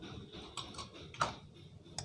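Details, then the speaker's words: Samsung Eco Bubble 6.5 kg washing machine, dead before repair, with an NTC added in parallel with the relay for capacitor inrush: on plugging in, a few light dry clicks as the board relay pulls in normally, then it powers on. "Nah, bunyi krek. Nah, ini tadi bisa. Nah, sekarang kita hidupkan. Nah, sudah bisa nyala."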